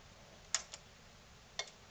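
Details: NAD C370 amplifier at power-on, fault of delayed speaker output relays that then chatter off: two pairs of sharp relay clicks about a second apart, relay pulling in then dropping straight out; protection relay not latching.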